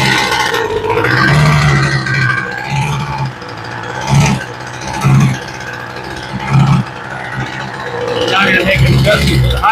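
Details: Homelite two-stroke weed eater that sat a very long time, with a replacement carburetor fitted, running at half choke: a low buzz surging and sagging about every second; the mixture screws were found fully backed out and were reset to one turn out.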